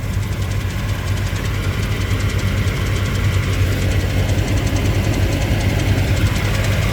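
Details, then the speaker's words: 1991 Lexus LS400 automatic after a Trans-Go shift kit and oil pump seal replacement: deep steady drone with fast, even rattling clatter from the torque converter/bellhousing area; owner suspects an exhaust leak from unreplaced gaskets, with smoke possibly from burning transmission fluid. "why is this clattering sounds like it's clattering up by the torque converter I'm assuming that means it's getting fluid"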